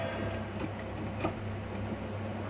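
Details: Hantarex Polo 25-inch arcade monitor (PC inside) that showed a blue tinge, then shut off; no neck glow now. Sharp irregular clicks about twice a second over mains hum at power-on, seemingly near the flyback; owner considers a cap kit.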